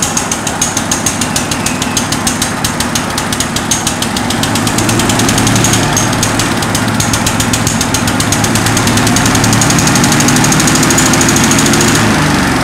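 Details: 1963 Bolens Husky 600 lawn tractor, first start after long storage: fast busy firing with hard rattly edge, never settling to idle; racing, seemingly not coming off choke (suspected).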